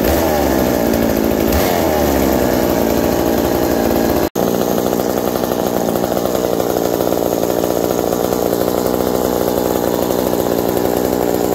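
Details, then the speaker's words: McCulloch 790 MC101 chainsaw with a Walbro WB37 carburettor on a homemade adapter and an ignition chip, bar and chain fitted: steady, even high-pitched buzz at constant revs, idle dropping slightly with the chain; running cleanly. "so as you see after putting the bar and chain on it the idle drops slightly but it's perfect right there the chain just bumps forward a little bit and everything"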